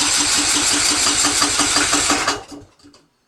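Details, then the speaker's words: Yard-sale Husqvarna riding mower with Kohler engine, new aftermarket carburetor and old gas drained, cranking on choke: steady starter cranking about three compressions per second with occasional firing pulses, close to catching. "getting closer that sounds like a well I'm going to call that a success seems to be running all right"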